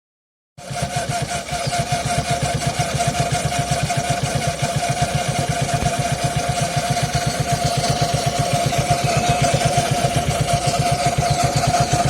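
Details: Suzuki Access 125 scooter at first cold start of the day: steady rapid ticking about four per second plus thin metallic ring at idle; also noisy at 30–40 km/h; mechanic blames timing chain, owner doubts; unconfirmed.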